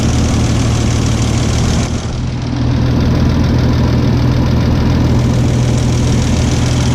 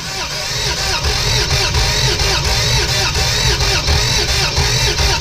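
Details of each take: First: 1989 Toyota FJ62 six-cylinder, 291k miles, parked ten years, after rescue and valve rework: steady, even, smooth idle with soft quick patter, no knocks or misses; running sewing-machine smooth. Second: Barn-find Toyota FJ62, 291k miles, parked 10 years: steady, uneven cranking at about four beats a second with no firing; no compression in rear three cylinders because the rocker shaft was seized, freed up with PB Blaster.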